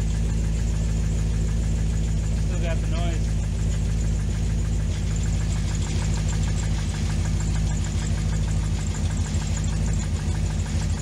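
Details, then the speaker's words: 2005 C6 Corvette LS2, 108,000 miles, knocking complaint, after tightening a loose rocker bolt: light rapid ticking over deep steady idle rumble; noise persists, suspected bottom end, needing engine rebuild. "But it definitely sounded like a mechanical noise. So I'm not sure what that's all about, but maybe this rocker was moving around."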